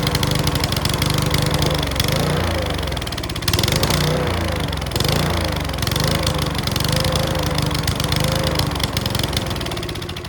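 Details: Mountfield V35 150cc mower (HP414, 38cm cut); runs rough with irregular pops and clacks through the engine note. Owner suspects the carb needle needs sorting; possibly low on fuel. Not confirmed.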